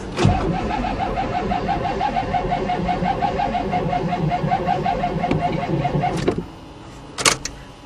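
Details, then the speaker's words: 1987 Chevrolet truck, weak battery, little or no fuel in the tank: about six seconds of even, rapid starter cranking without firing, engine turns over but doesn't catch; owner suspects no fuel. "damn [Applause] it maybe I'll put some gas in it"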